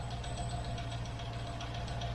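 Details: 1972 Range Rover A Suffix, cold start with barely any choke after carb tuning: light quick regular top-end ticking over smooth idle, appeared after fitting new cam followers; owner considers shims. Valve train ticking, cause suspected.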